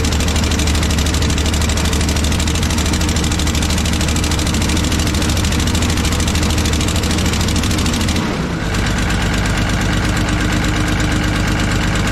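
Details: Kobelco SK250 excavator, believed 2006, diesel fired up before repair for comparison; loud ticking, chuffing exhaust puff with uneven, missing-like beat, "it ain't good" — cracked exhaust manifold leaking, manifold to be replaced with new gaskets.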